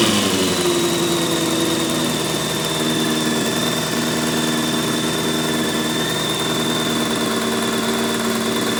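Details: Honda F4i motorcycle: fast multi-cylinder idle with an uneven ticking about four per second that rises with revs, heard from the first cylinder on the bike's left side; cause not yet determined.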